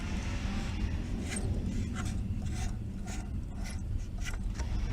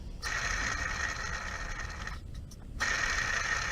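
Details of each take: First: Mercedes SL600, water pump pulley spun by hand: soft, even swish on each turn, no grinding or roughness; normal water pump bearing. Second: Hand-spun idler pulley on a Mercedes SL600 gives a dry, gritty whir with a thin steady whistle fading as it slows; worn idler bearing, a common failure, being replaced with a new OE pulley, which requires removing the fan.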